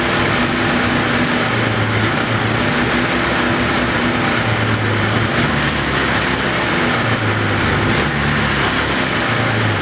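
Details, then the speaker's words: 1980 Ski-Doo Everest 500 fan-cooled two-stroke snowmobile, first start on mixed gas spray despite a doubtful low compression reading (owner thinks the reading was wrong); steady, even high-pitched buzz with no misses or knocks, sounds healthy. Normal running. "i think sounds pretty good actually i mean it sounds healthy"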